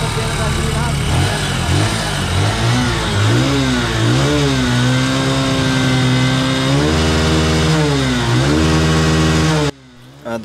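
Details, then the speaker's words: New Bajaj CT125 that suddenly died with lost compression, after an oil-and-petrol fix: single-cylinder revved up and down repeatedly, rising and falling cleanly with an even beat; carbon deposits on the valve blamed, possibly from poor fuel. "kapag ka umandar mga boss ah paandar andarin niyo lang para mawala yung mga carbon deposit doun sa kanyang barbula"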